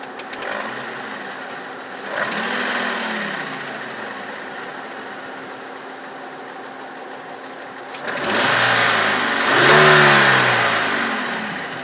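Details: 1999 VW Passat VR5 Synchro, 2.3L AGZ engine, 150 PS: idles with a rough, rattly edge and two brief revs bring a louder, harsher note; unidentified engine noise, source unclear.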